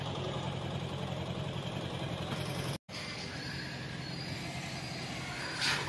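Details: Toyota Prius hybrid on a cold start after sitting overnight: rough, uneven running with a stumble and loud exhaust chuff, and the engine won't take load. Misfire caused by tight (jammed) tappet valve clearance; it ran smooth and quiet after the valves were adjusted.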